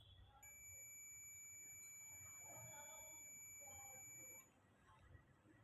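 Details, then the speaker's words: Multimeter on continuity range across a coil's primary and common terminals: single steady high-pitched beep lasting about four seconds, closed circuit, coil OK. "Primary से common प touch किया तो वहां पर आपको दिखाई दे रहा है तीन जीती और साथ में बप की आवाज आ रही है इसका मतलब यह कॉइल ओके है"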